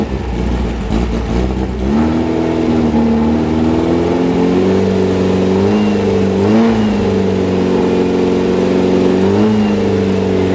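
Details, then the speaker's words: Freshly rebuilt VW 1835 Bus flat-four on a stand, with high oil pressure; revs rise and sag and never settle to idle because the idle primary jet was clogged solid; after cleaning it idles but still runs lean. "see if you can never get it to idle after cleaning the idle primary jet which was clogged solid I was able to bring it back down to an idle"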